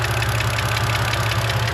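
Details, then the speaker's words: 2011 BMW 128i N52 petrol engine idling after sitting undriven: quick, sharp ticking heard mainly from the valve cover, from hydraulic lifters. "this is a BMW n52 engine it's a 128i and as you can hear we have a pretty good ticking going on and you can hear it mainly from the valve cover"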